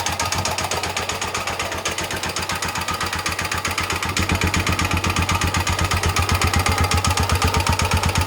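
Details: Rebuilt Honda XL250 single-cylinder engine: crisp, even thumping, about four beats a second, picking up cleanly as revs rise; sounds healthy and runs smoothly.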